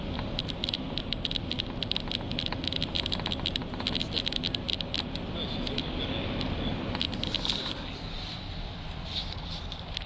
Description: Rattle from 2009 Volvo XC 90 from behind passenger side dashboard. Happens intermittently. Can be stopped by pressing down on top of dashboard